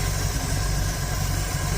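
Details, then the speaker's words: 1951 Dodge Wayfarer 230ci flathead six with Gyromatic, freshly rebuilt Stromberg BXVES-3 carb, warmed up, tach on coil: slow soft loping rumble with no knocks, idling about 350-400 rpm below the roughly 450 spec; idle needs raising. "Shows that we're just, I think the idle is supposed to be about 450. RPM low."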